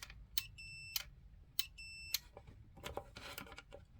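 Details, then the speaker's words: Suburban SF-30F furnace in a 2007 Keystone Sprinter RV, fan sail switch tested with a multimeter on continuity: two clean, steady beeps when the probes touch. The switch is good; the furnace fault was a bad control board. "you hear that? So it's good. Basically the motor, the fan turns and activates the switch, which sends power to the igniter."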